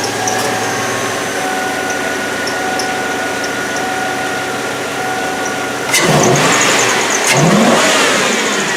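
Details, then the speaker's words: 2004 Chevrolet Avalanche V8 after cold air intake install: faint, high, repeated chirps over idle and revs, a slipping serpentine belt still chirping; belt to be replaced. "so I heard that belt definitely still chirping so I'm gonna go ahead and change that belt"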